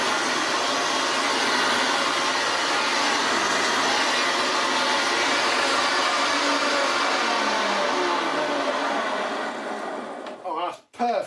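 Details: Old Hoover Senior 652A upright vacuum cleaner running after a belt change; harsh rough rushing roar with a steady coarse pulse, then winds down: the motor sounds awful and noisy, cause unknown until stripped down.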